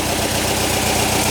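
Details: 1959 VW single cab pickup under restoration, replacement air-cooled flat-four at warm idle: steady, even chatter, no misses, knocks or stumbles; engine running fine, normal idle.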